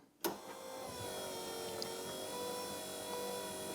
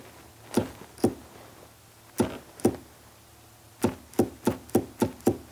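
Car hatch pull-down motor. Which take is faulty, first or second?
second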